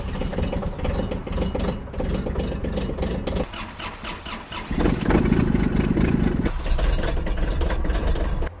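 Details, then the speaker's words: Kubota small diesel tractor starting in cold northeast winter weather after overnight snow: it cranks for a few seconds, catches cleanly and settles into a steady idle. A normal, healthy diesel cold start. "and generally today we find that's not so much the case we can generally start most tractors pretty easily even at really cold temperatures"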